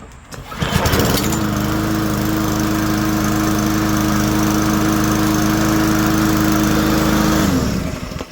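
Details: Push lawnmower after an ultrasonic carburetor cleaning, which fixed starting and then dying after 1–2 seconds: it fires up and settles into a steady, even drone for about six seconds without surging, then shuts down cleanly. Normal running.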